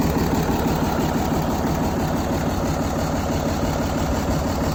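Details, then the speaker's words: 1975 White 2-150 tractor diesel, dormant 19 years: even, quiet idle at about three beats a second with no roughness, now running really quietly after the intake was closed up and a muffler fitted. "beautiful the thing's running really quietly now so I shut that intake up a bit put a muffer on it you wouldn't know it's the same thing"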